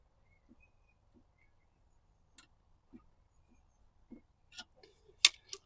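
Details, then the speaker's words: Fiat 500, driver-side front lower wishbone, levered with a screwdriver: sparse dull knocks, then sharper metallic clinks as the arm, fully separated from its bush, knocks on the subframe; both arms are to be replaced. "So, the arm is knocking against the subframe there."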